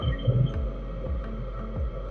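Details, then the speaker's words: DIY 5kW diesel heater run from a power station, warmed up to temperature and quieter than at startup: an even low hum with a soft steady throb about twice a second. It runs smoothly. "It just, when it starts up, it's a little bit louder than it would be while it's running. So yeah, that's pretty much that. The heater's going."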